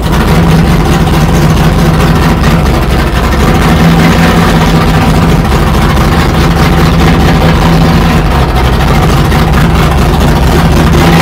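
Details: 1969 Plymouth Barracuda 440 V8 after the fuel pressure fault was sorted, with about 8 psi fuel pressure and plenty of oil pressure: loud, even low rumble with a steady beat and no knocks or misses; normal idle.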